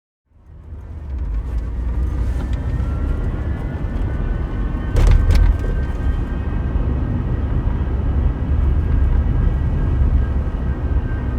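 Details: 2004 Volvo S60 2.4 170 hp, 5-speed manual, on the move: faint high steady whine over heavy low road rumble while driving, no noise at idle or when revving; cause unknown.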